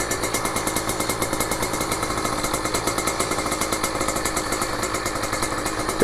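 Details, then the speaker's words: Small-engine motorcycle warming up, which takes a couple of minutes: quick even popping idle about six beats a second, holding steady as it settles; normal warm-up idle. "It only takes a couple minutes of your time. With these smaller engines, they warm up fast."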